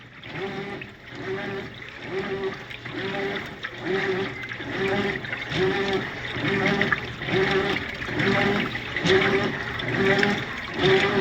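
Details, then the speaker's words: General Electric top-load washer agitating normally after repair, steady rhythmic water sloshing about once a second; it previously made noise but did not agitate because the drive belt was missing; new belt fitted. "Ahí está listo chalones funcionando problema de la banda no la traía"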